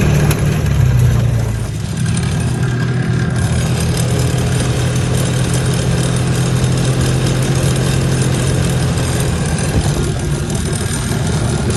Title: 2011 Polaris ranger crew rattle at high speed. What is making this sound?